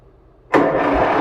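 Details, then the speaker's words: 1958 John Deere 420W cold start after sitting about a year, jump-started from a truck, carburetor previously dried out by shutting off the gas. Quiet, then it catches and settles into a steady, even run, a clean easy start. "That was relatively pain-free. Swear I didn't start that tractor for like a year. Good news is I always shut the gas off, let the carburetor dry out."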